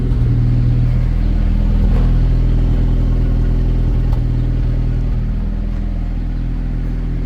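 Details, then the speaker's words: Ford Ranger with a newly wired electric choke, high idle after start: an uneven, stumbling exhaust beat. The owner hears a misfire and plans to redo the spark plugs. "It has a little bit of a misfire, so I'm probably gonna do plugs again."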